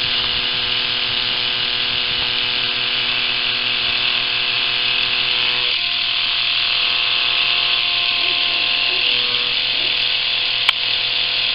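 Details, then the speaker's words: Fully charged Philips rechargeable cordless shaver before modification, only 1.25 volts measured at the motor: a thin, weak, sluggish high buzzing whir. Motor running slow from low voltage. "okay i'm going to start it up run it and test at the motor how many volts are at the motor that are supplying the motor with the current okay here running"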